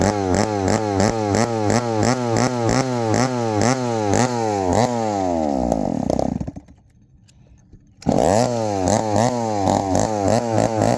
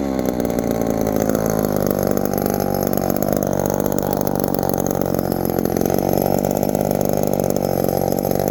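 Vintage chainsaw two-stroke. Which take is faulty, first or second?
first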